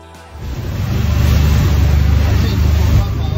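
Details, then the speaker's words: Mercruiser 8.1 V8 in a commercial fishing boat, after repairing a broken intake valve spring on cylinder 2 that caused a multiple misfire, running at 30 knots: deep, steady rumble, no miss or stumble; normal running. "30 knots oh yeah it sounds great"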